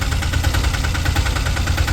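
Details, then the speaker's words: Autorickshaw diesel (Ape) cold morning start after heavy rain, decompression pulled: idle with a low throb and an intermittent quick beat that comes and goes, becoming continuous and steady after running a while. "ഈ sound അപ്പ guys അപ്പ ഈ sound കുറച്ചു നേരം നിന്നു കഴിഞ്ഞാൽ ഉടനെ ആ സൗണ്ട് മാറുന്നത് നിങ്ങൾ ശ്രദ്ധിച്ചോണേ ഇപ്പോ ഇങ്ങനെ വിട്ടു വിട്ടാണ് ആ സൗണ്ട് കേൾക്കുന്നത്"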